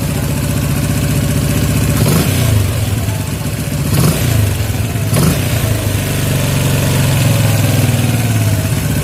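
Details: Yamaha Jupiter MX 135 carburetor setting: single-cylinder engine blipped three times, revs falling slowly and hanging before idle; air screw adjusted further.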